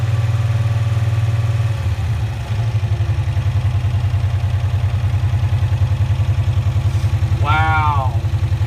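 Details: 1965 Cushman Truckster two-cylinder, first start after sitting over a year, in neutral with choke still partly on: loud, lumpy low idle with uneven pulse that never picks up; won't accelerate, just chokes out; owner suspects choke not letting off.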